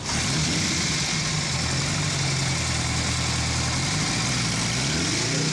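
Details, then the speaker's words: 1953 Ariel Square Four 1,000cc, long-stored and revived to running: smooth even four-cylinder burble with slight rise and fall in revs, no knocks or misses, sounding like a Honda CB750; engine runs healthy. "my biggest surprise about this thing is I had no idea they sounded the way they do"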